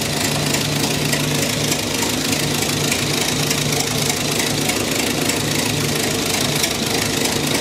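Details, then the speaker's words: 109-year-old Ford Model T in snow, cold weather, running on magneto: loud busy idle with uneven lumpy beat under hissy mechanical clatter; rough because still cold, expected to smooth out nicely once warm. "let's switch it to Magneto she runs a little rough when she's cold bad but once it warms up it'll smooth out nicely"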